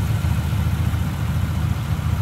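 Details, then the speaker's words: 1950 Ford Custom Deluxe Club (Tudor) flathead with original 6-volt system, idling warm with the hood open after dropping off high idle: a low, even, smooth rumble with no misses, knocks or ticks. "Got it off that higher idle. Idling nice and smooth. Look at that flathead in there."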